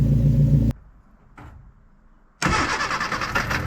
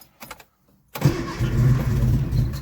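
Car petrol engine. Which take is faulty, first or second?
second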